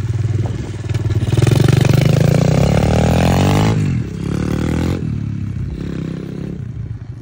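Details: SSR125 single-cylinder pit bike on first test ride after rebuild (valve had been too tight), started in neutral: buzz climbs in pitch, drops on shifts, pulls cleanly again, up to third gear; runs strong and quick. Normal running.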